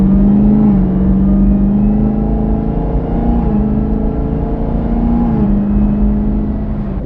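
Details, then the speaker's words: Chevrolet Camaro ZL1 while driving, around 20 km/h: a steady, droning whistle from the rear, like fingernails on a chalkboard, shifting slightly in pitch. It is independent of rpm and speed; the owner suspects the fuel system, cause unknown. "klingt wie so Fingernägel an der an der Tafel irgendwie kraftstofsystem das ist unabhängig von den Umdrehungen unabhängig von der Geschwindigkeit"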